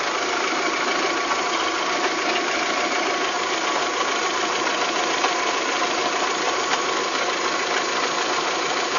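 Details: VW Golf 3 engine at idle: busy, tinny rattling knock over the running note; abnormal engine noise, cause not yet determined.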